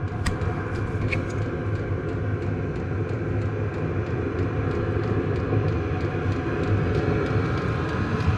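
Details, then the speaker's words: 2006 Nissan Frontier with a cheap Chinese diesel heater: after the glow plug shuts off, the fan speeds to full with a loud, even jet-like roar and light regular fuel-pump ticking, around 74 dB, blowing hot air; normal running. "up that's like a jet engine taken off it's noisy actually putting up some hot air now"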